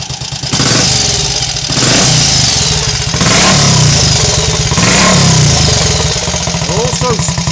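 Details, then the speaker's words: Triumph Tiger Cub (Scrambles Cub replica) single, started with eight kicks this time, cold engine prone to stalling on sudden throttle; crisp pops settling into a soft regular burble on overrun from the recently fitted silencer, healthy. "noticed this time when I've been filming it it's got a nice verbal on your over and I haven't noticed before"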